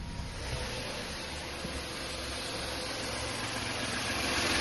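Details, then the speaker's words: Peugeot 5008 PureTech after wet timing belt replacement and oil strainer cleaning for low oil pressure: even quiet idle with steady beat and light hiss, the hiss being fuel pressure; no leaks, running smoothly. "looking good. We're not looking like we've got any leaks. I can hear a hiss. Oh, that's the fuel pressure, that's all."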